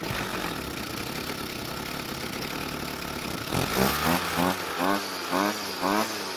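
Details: Warm Jonsered two-stroke string trimmer, air filter cover off, idle screw turned about three turns clockwise: quiet ragged idle, then uneven surging bursts about twice a second that never settle; raising idle speed made no difference, rich low-speed mixture.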